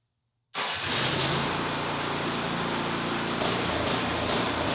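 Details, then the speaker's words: Snowblower, reassembled after repair and test started before bolts fully in: catches and settles into a fast run, smooth at first, then the beat goes uneven with surging pulses; rough running, cause unknown. "it's [Music] running but something still ain't right it was running and it ran smooth for a little while but then it started that I don't know what's causing that"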